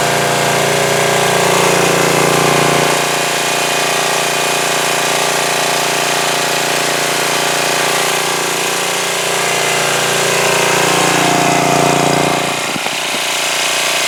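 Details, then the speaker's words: 2002 Coleman Powermate 5500 generator after carburetor cleaning and motor-mount repair, air filter off: it starts easily on choke, then holds a steady, even buzzing drone at full run with constant pitch and no hunting. Running healthy. "yeah that started very easily I had it on immediately put it to full run and it ran great so that's pretty nice that's very very nice"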